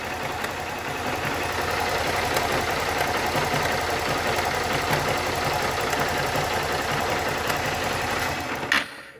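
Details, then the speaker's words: Start 160 motorcycle at idle, before fix: light busy metallic "tre tre tre" rattle over the engine beat from worn cam chain tensioner letting chain slap; gone after tensioner replaced, then timing must be set. "a motoca ligada ó aquele TRE TRE TRE D dá uma olhadinha como é que era o barulho"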